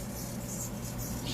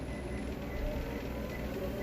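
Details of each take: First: Free Motion treadmill running with a steady hum and faint high squeaky chirps from a dirty, slipping drive belt; fix is cleaning the drive belt and pulleys with a steel brush. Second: Free Motion treadmill after cleaning the squeaking drive belt, drive motor pulley and roller pulleys with a steel brush: the motor hums steadily and its whine climbs smoothly as it speeds up, now quiet with no squeak.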